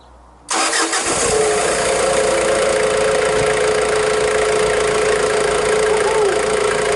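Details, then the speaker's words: Ford Ranger/Mazda B2500 diesel just after injection pump timing was set, before re-tensioning the cam belt: a quick catch on the starter, then a steady, even idle with a constant faint whine and no misses or knocks; it runs healthy. "seems all right it's going to readjust the clan tension now"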